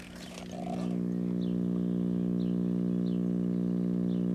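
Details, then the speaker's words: 1977 Sony KV-1541R Trinitron remote colour TV with no high voltage: set powers up with a steady low buzzing hum, no high-voltage crackle, drawing only 10 watts and dropping, so nothing seems overloaded. "huh the hum is you know when i hear hum like that i think of something shorted or overloading but only 10 watts it's nothing shorted or overloaded"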